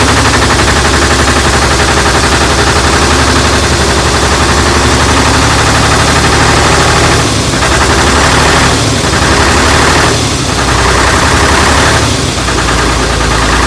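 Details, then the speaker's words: AEC Matador 7.7 litre diesel on a cold day, just restarted after injection pump and injector overhaul and bleeding; loud, steady clatter with firm even beat, brief dips as revved, runs cleanly; normal running. "All right, we're going to run it up, wait, and enjoy our adjustment. Well, so far sounds all right."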